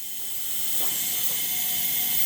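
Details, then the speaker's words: Mercedes M111K engine leakdown test during a budget Benz build: a steady, fairly quiet airy hiss of shop air through the cylinder reads only about 11% leakage, acceptable. "yeah it's only 11% leakage so we're okay maybe yeah"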